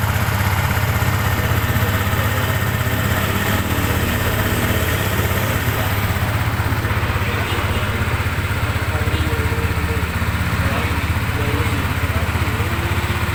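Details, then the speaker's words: Sniper 150 (PH50 version 2) single-cylinder motorcycle idling after repair (stretched timing chain, worn intake valve, parts replaced): steady, even quick idle beat, no knocks or ticks; engine now normal and quieter. "Mas tumahik. So yan nadali na natin mga bossing. Ayan oh naman normal na RM"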